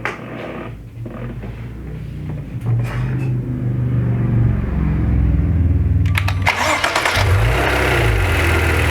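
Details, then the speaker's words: 2014 Maserati Ghibli SQ4, noise began during 0-60 runs and worsened: engine cranks and catches, then after a couple of seconds a harsh rasping hiss and rattle builds over the idle; it stops when the dipstick is pulled, origin unclear. "So note, it doesn't start making the noise right away. Only after the engine's been running for, say, a couple seconds."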